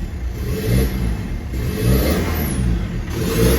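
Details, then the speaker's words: 2012 Ford Ranger 2.5 turbo diesel with misfire and heavy smoke, exhaust deliberately disconnected to check the turbo spins freely: harsh, loud unmuffled roar rising and falling with each rev, after new injectors fitted. "now that noise I did disconnect the exhaust make sure we had a turbo free and able to rotate and our turn so that noise is because of me creating problems there"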